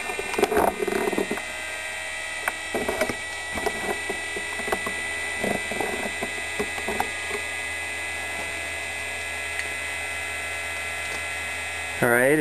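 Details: Brushless DC motor salvaged from a hard drive, driven by Arduino with Hall sensors and 12 V battery, spinning at full speed; thin steady high whine under bench clatter, normal running before regenerative braking test.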